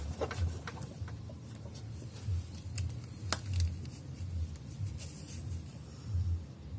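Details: Ford Mondeo 4 driving over rough ground: dull irregular thuds transmitted through the body from a worn shock absorber strut knocking.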